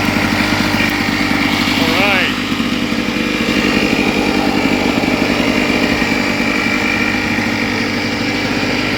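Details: Lawn-Boy two-stroke lawn mower started after replacing the broken pull rope, primed three times: fires up and keeps a steady, busy buzz at even speed with no misses or knocks; running normally.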